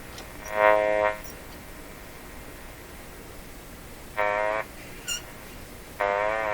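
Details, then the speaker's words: Philco 38-C7 tube radio before IF alignment: short whistling tone bursts every couple of seconds, one sweeping upward, as it hears a sweep ending at 500 kHz, off its dial; owner suspects the dial is so far off it tunes into its own IF range. "How can this radio hear the sweep? The sweep is ending at 500. 500 is not even on the scale. 500 is down here. How can it hear it? This dial is so far off that in fact the radio is tuning down into its own IF range."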